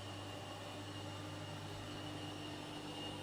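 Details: Bandsaw running unloaded after a blade change, checked through the top window and tracking beautifully: an even, steady hum with a faint constant whir and no knocks or rubbing. Normal running.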